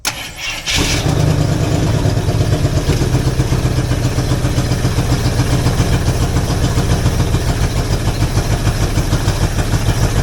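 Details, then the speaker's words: Jeep FSJ/SJ Cherokee, first start after setting the distributor, with a cheap Chinese carb, choke in use: catches and runs a lumpy, uneven idle before running out of fuel; no knocks or smoke. "oh was trying to idle let me take my choke out a minute"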